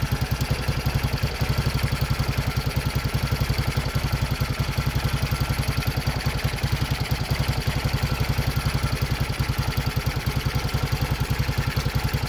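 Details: Racer 164FML 200cc pushrod single with balancer shaft, first start after repair. Smooth, regular idle with an even beat and no knocking or ticking. Normal idle.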